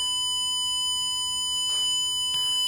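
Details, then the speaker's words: Power Probe ECT 3000 short/open finder on demo board, connected at the circuit side of a pulled circuit breaker: steady unbroken high-pitched tone signals a short to ground on that circuit. "that live in that tome which you can turn off is indicating yes you do have a short somewhere on that circuit"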